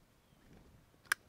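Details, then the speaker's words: 2004-2006 T1N Sprinter EGR valve removed from the engine: a replacement valve from another van gives one sharp, crisp click as it snaps shut, a healthy return, unlike the cleaned original that would not snap back properly. "that click? That's what I want to hear. That's the way it should snap back."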